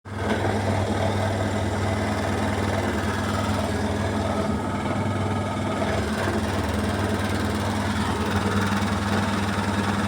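Loud steady spin hum with a rough, uneven rattle riding on it at high speed; drum thrashing from an unbalanced load.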